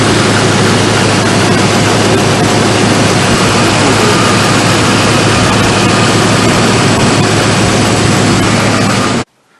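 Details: Truck idling after a broken bolt was removed from the exhaust flange: loud, steady exhaust roar with an even pulse and no ticking or puffing leak at the manifold. The exhaust sounds sealed and healthy after the repair.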